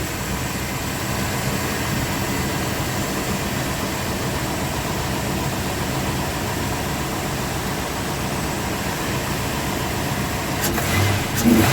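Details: Truck that previously would crank but not start, started after the new solenoid-activated parts were fitted and pressure-tested: it settles into a steady, even idle with no misfire and picks up cleanly on a quick throttle snap. Normal idle.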